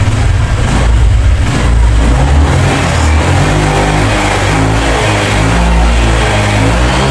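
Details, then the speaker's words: Honda Vario 150 scooter that hesitated and stuttered at mid and high rpm, after TPS sensor position adjustment and manual reset; engine climbs through the revs cleanly and holds steady, no stutter or flat spot, running normally again. "Oke untuk si varionya sudah kembali normal ya tidak ada gas merebet lagi pada Rp matas"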